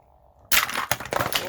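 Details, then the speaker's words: 3D-printed pulse motor rotor on a carbon fiber tube, known to wobble, spun faster by turning the pot: quiet spin, then a sudden sharp crack and rattling clatter. A rotor magnet broke off at high speed. "dagnabbit yep one of the magnets came off oh and that was supposed to be"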